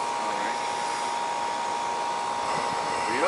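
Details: 2.5-ton AC condenser after repair (noisy humming contactor, burnt compressor wire that tripped breaker, cleaning), superheat about 9: steady even fan rush with constant mid-pitched hum, no rattles or buzzing; runs smooth and healthy.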